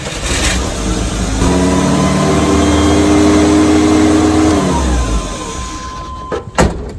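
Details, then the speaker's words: 1986 Chevy S10 Blazer 2.5L after reconnecting vacuum lines: the engine catches and its revs climb and hang high instead of settling. High runaway idle; owner suspects a vacuum leak, with the IAC, TPS and MAP also under check. "well it still has runaway idle so i'm gonna check and make sure nothing got jostled loose just keep checking around and see what i can find i'm fairly sure i have a vacuum leak"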